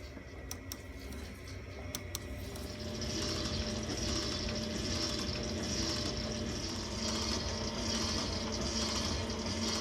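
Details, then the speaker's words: 1962 South Bend 7-inch shaper, first run after motor refitted before restoration: quiet smooth hum with soft steady swishing of the oil pump, no knocks or rattles; runs healthy. "Well, here's the first run of the South Bend shaper down in the basement. It's quiet, real quiet, runs smooth."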